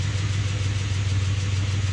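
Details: Pontiac Grand Prix at idle: low, uneven, lumpy stumbling beat; misfire on cylinder four, wasted-spark coils ruled out, injector circuit code points to an injector getting no signal.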